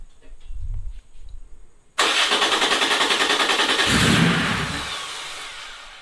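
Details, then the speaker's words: Porsche 911 3.0SC air-cooled engine newly converted to EFI and turbo, on its first start: cranks, catches and revs briefly with a fast pulsing beat, then dies. Owner suspects the idle valve isn't supplying enough idle air. "Good start. Wonder why I didn't keep running. [Music] H. I feel like my idle valve isn't isn't doing its job."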